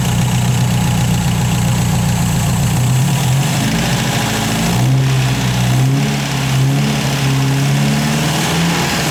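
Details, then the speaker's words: 1951 MG TD, hot restart after 4–5 mile drive, water just above 90, in neutral, new heat shield fitted against vapor lock: fuel pump ticks then low, steady idle with even beat, no stumble; normal idle, hot-start problem fixed. "so you can tell the pumps going and then it stopped to build pressure and now it's done and here we go it's in neutral"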